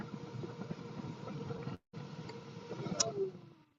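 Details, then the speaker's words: Stock fan of a Master Airbrush Paint Booth running, before swapping to a quieter fan: loud, steady rushing hum with a mid-pitched drone and a brief cutout; it moves a lot of air and works normally, just noisy. "And when I say loud, yeah, it's not overly loud for the amount of air that it moves, but it's just going to get annoying, I'm sure, after a while."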